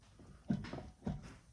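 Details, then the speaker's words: Two dull low clunks as the lifted wheel of a 2011 Chevy Suburban with over 200,000 miles is rocked; the worn wheel bearing caused vibration when stopping and turning. "but this thing moves every which way and you can hear it clunking so we got bad wheel bearings"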